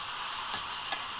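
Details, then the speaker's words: L&L Cooling OCC LN2 computer chiller, set point raised from -23 to -17 °C: two sharp light clicks about 0.4 s apart over a faint hiss; normal valve clicking as the OCC regulates LN2 flow to the chuck. "What you hear that clicking? What that clicking is the OCC regulating the amount of LN2 that is going down to there, the chuck."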